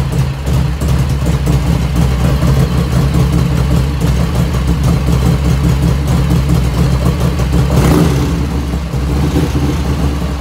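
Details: 1985 FXR started cold at about 49°F after a float setting: an even, loping V-twin idle with a deep steady thump, running clean. There is no lifter ticking at first start; it appears later as the engine warms.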